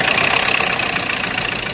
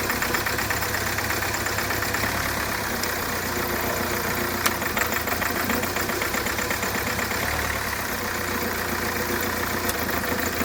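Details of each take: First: Hyundai Creta diesel at idle after an outside engine rebuild: fast hard metallic clatter and knocking, with back compression and white smoke; recurred after a timing tensioner was fitted, and the engine later stopped. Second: Hyundai Creta diesel after engine rework and timing reset (previously knocking, white smoke, starting problems after an earlier engine job): steady idle with even, fine clatter, no uneven knock or misfire.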